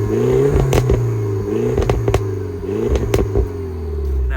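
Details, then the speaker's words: Barn-find car on 97k, revved with the camera set near the exhaust: sharp blips with a loud, raspy bark that is a bit too loud and not quite as it should be, though it sounds nice. "And yeah, like I said, that one is just a little bit too loud, but I do think it sounds very nice."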